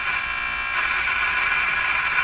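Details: Philco 49-501 Boomerang radio during alignment check, all but one wax capacitor replaced, still weak: harsh, buzzy, distorted audio with upper-range rasp and little bass; a microphonic tube lets the turning alignment screw be heard while tuning.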